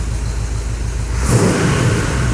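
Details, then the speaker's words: 1986 Chevrolet C10 with newly installed engine at first fire, after carburetor and vacuum line adjustments and vacuum advance just hooked up: low even V8 rumble picks up cleanly off idle without stumble, exhaust leaks audible; normal off-idle throttle response. "I do have exhaust leaks. That's the bad sound, the exhaust. Off idle, it seems really good."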